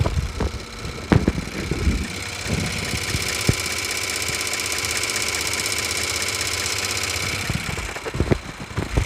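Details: Ford BT-50/Everest injectors with stumbling, surging and stalling, bench tested after repair: fast, even clicking over the rig's steady motor hum with no skips. All injectors now deliver equal volumes and work normally.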